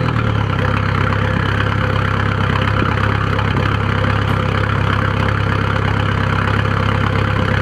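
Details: 1997 VW 1.9 TDI (1Z) diesel at idle: uneven, loping lumpy pulse, with white smoke; ran smoothly then suddenly started doing this a few days ago; rough idle, cause unknown.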